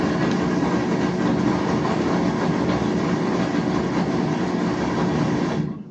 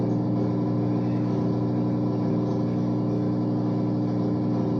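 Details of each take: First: Whirlpool washer (WTW4950HW3/WTW4955HW3 type) drains continuously from power-on and skips wash cycles: steady drain pump whir with rushing water, stopping abruptly with a click; control board fault suspected, not confirmed. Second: Whirlpool washer that kept draining nonstop, after replacing the control board (part W11578827), running its self-test with the water supply off: a steady, even motor hum with a faint slow pulse and no knocks or grinding. Normal self-test cycle.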